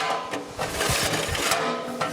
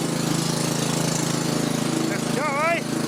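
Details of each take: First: Victa 526 mower, restored with redone spindle and new bearings, hard to start when cold: dry rasping recoil pulls with no engine catch because the dried-up starter clutch balls don't engage, so the pull start slips; starter clutch needs fixing. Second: Restored Victa 526 two-stroke mower with a redone spindle and new bearings: steady, even drone with no misses or knocks; runs smoothly.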